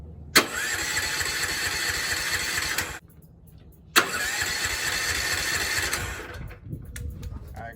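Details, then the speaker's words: Go-kart small OHV engine, carburetor already cleaned: two bursts of steady starter cranking with no firing; cranks but won't start, so not the carburetor; owner suspects the flywheel. "it doesn't turn on all right so it wasn't the carburetor"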